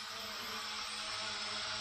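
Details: Hubsan H502E GPS quadcopter from 2017, rebuilt with new motors after a motor burnt out, on a quick indoor hover test in a garage; smooth, even high-pitched whine with no rattle or grinding; ball bearings sound smooth and healthy.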